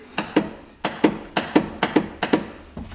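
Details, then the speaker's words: A 2018 Cub Cadet Challenger 750 UTV with 201 hours makes about six sharp double clicks in three seconds at key-crank with no cranking. The solenoid is clicking, and the battery was later found loosely connected. "like the solenoid's clicking. So what we're first going to do is measure the solenoid."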